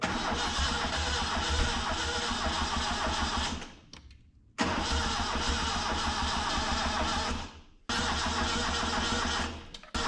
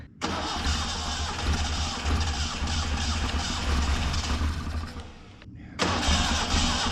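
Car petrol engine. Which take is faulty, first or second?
first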